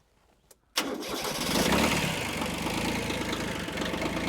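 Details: Kubota B7100 diesel tractor on a new cheap group 51R battery, below 10 °F, glow plugs warmed before starting: short crank, diesel catches straight away and settles into a steady, even clatter; normal cold start.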